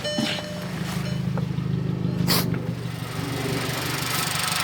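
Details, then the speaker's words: MK6 Jetta GLI after repairs, including replacing a broken manifold and reconnecting unplugged connectors: starts right up into a steady, even idle with a smooth low hum and no misses, knocks or hunting. Running normally. "start it up oh fires right up it's idling perfect now"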